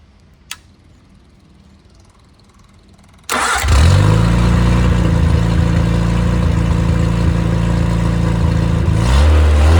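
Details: Rebuilt engine after a seizure from two swapped rod caps, now with new bearings and corrected caps: it cranks, catches quickly and settles into an even, smooth idle with no knocks. Low-compression head (~7.5:1), stock cam, ~125–130 psi compression, 75 psi oil at start-up; healthy.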